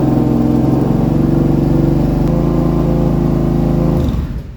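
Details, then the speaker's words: Kawasaki Brute Force V-twin after replacing a failed Caltric camshaft: runs fast and even with a steady throb well above normal idle, then shuts off. It starts easier; the idle is to be adjusted down. "High idle, we're going to adjust that down manually on that side, but it sounds way better. Fire it up a lot easier too."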